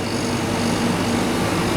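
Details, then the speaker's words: Chiller trailer refrigeration compressor after replacing a burnt-out relay with a Supco relay, capping a leaking port and adding R404A: steady even whirring hum, no clicking; discharge pipe warm, suction getting cold. "Yeah, we've got heat in the discharge pipe. Compressors, you can hear it making a noise. Suction eye's getting cold."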